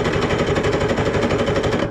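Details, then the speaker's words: 1970s Wetco Wetbike that sat 25 years, after an ignition coil swap restored spark: cranked with the plugs in and carbs off on a shot of starting fluid, it gives rapid, ragged popping for about two seconds, then dies. "he's always crank with the plugs in sounds nice little shot of some starting fluid"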